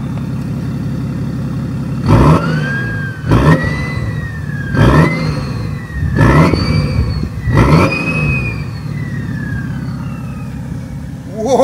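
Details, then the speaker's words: Worn turbocharger on a car under pre-purchase inspection: five quick revs, each followed by a loud whistle that climbs and slowly fades. Intercooler hoses are leaking and the rear is sooty. "Zobaczcie sobie, jak podkapca i jak gwiżdże, posłuchajcie, jak gwiżdże turbosprężarka."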